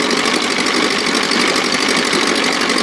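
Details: 1957 Montgomery Ward Sea King 5 hp two-stroke outboard, no fuel pump, gravity-fed from a tank on a ladder, throttle in start position above idle: fast, even buzz holding steady speed, no misses or surging. Running normally and sweetly.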